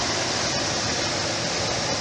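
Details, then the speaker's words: Jet air filtration system after repair, final test run: smooth, even whoosh of air with no rattles, knocks or pitch wobble; fan running normally again. "All right, there was a final test run. Awesome."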